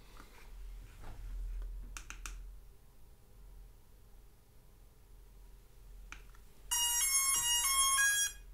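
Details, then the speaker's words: Hubsan Zino Mini Pro drone after gimbal IMU calibration: light clicks then a bright stepped startup chime, no hum or buzz; gimbal powers up and works fine. "it actually went perfect that should not have worked but as you can see the gimbal is working just fine"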